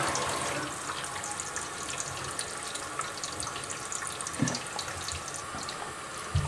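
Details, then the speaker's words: Kohler toilet over 20 years old, after cleaning sediment from its Fluidmaster fill valve: a soft, steady rush of water refilling the tank; the earlier wheeze is gone and it sounds normal. "So now I don't hear that wheezing noise, just the normal noise."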